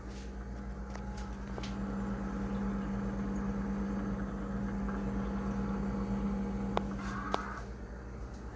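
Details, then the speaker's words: Frigidaire refrigerator compressor droning with a loud, steady low hum, an annoying noise; unit is suspected low on refrigerant charge and ices up, cause not confirmed. "and yes this sound does get very annoying"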